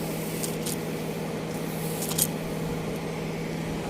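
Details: Car that wouldn't start (no power from battery) after rewiring and battery swap: low, even idle hum holding steady with no misses, knocks or stumbles; normal smooth idle after the fix.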